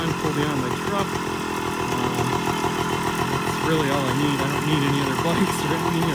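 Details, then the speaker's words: Restored 1978 Kawasaki KE100 two-stroke, started on a humid day, spark arrestor missing. Crisp buzzy engine picks up cleanly on each throttle blip and settles back without stumbling; healthy engine. "the engine is pretty clean and runs great as you'll see here in a moment"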